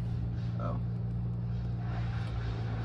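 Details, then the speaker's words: Chevrolet Nova project car after sitting for years, heater blower fan running: steady low electric hum, constant pitch, no scraping or rattling, likened to an old refrigerator; normal heater blower. "Oh, dude, she rips. Yeah. Oh, sounds like an old refrigerator."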